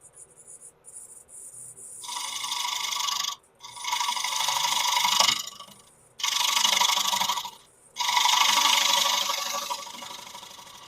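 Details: Birch bowl outside finish turning on a Laguna 1524 lathe, loud dust collector running: bursts of harsh high rasping cut as the gouge bites, with a brief sharper hit where it catches a knot.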